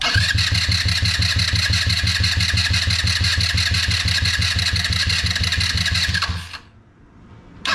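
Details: HammerHead 150 off-road go-kart, after emptying the fuel tank and installing new parts: long run of even starter cranking about three pulses per second with no sustained firing; hard starting.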